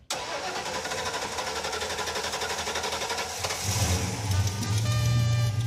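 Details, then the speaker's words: Raunchero (Roadkill project car) V8 restarted after replacing a junk fuel hose that was pouring gas: fires first try, holds steady idle and picks up revs without stumbling; runs fine now, leak fixed. "That runs quite good, like for us. You at home, no, you wouldn't be happy with that, but us, yeah, it's fine."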